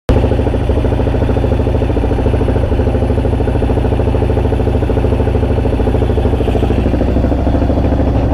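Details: 2002 Yamaha XT600E single: thumps about three a second but the beat stumbles and skips unevenly; misfiring.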